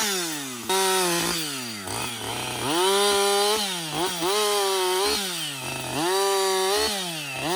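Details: Husqvarna 562XP 60cc chainsaw, after the shop reflashed its software for dying when hot, hard starting and stumbling, bucking dead windfall with about two-thirds of a tank used: strong clean revs bog evenly in each cut, then snap back to crisp high speed without stumbling; normal running under load.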